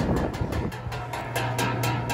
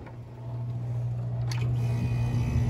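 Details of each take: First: Air conditioning outdoor unit at startup, sharp regular ticking about four times a second over the unit's hum as the condenser fan blade strikes something, an installer mistake. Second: AC condenser fan motor, after fixing the blade hitting; low steady hum building as the fan spins up, no scraping or ticking: fan runs freely.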